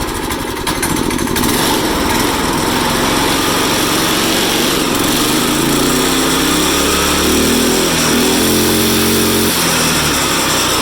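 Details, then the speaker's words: Yeft Dog go-kart small engine on a jack stand after carburetor work: loud buzzing with revs climbing unsteadily and wavering, not holding smooth; it runs but still revs unevenly and needs more tuning. "so it will rev up god almight still be kind of weird I don't know but it does"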